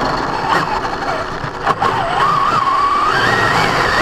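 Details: Brand-new Basher Nitro Circus 4x4 1/10 RC truck on a 3S 4000mAh battery: a rough, gritty grind under a whine rising with motor speed, only when accelerating on the ground, not in reverse or off the ground; gear mesh adjusted without fixing it.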